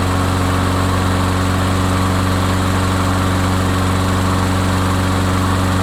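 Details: Craftsman mower after repair of a no-run complaint: steady, even hum at constant speed with no misses, knocks or surging; runs smoothly.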